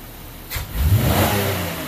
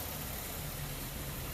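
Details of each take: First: 2004 Buick LeSabre 3.8L V6 with rough idle and code P0102 mass airflow sensor circuit low frequency: snap-throttle check, engine blips off idle, revs rise quickly and smoothly and settle back without stumble; MAF frequency rises with it. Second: 2004 Buick LeSabre 3.8L V6 with rough idle; codes P0102 (MAF circuit low frequency) and P1811. A steady, slightly uneven, lumpy idle hum with no knocks. The scope shows the MAF signal at 380 Hz instead of about 2400 Hz, pointing to a failing mass airflow sensor.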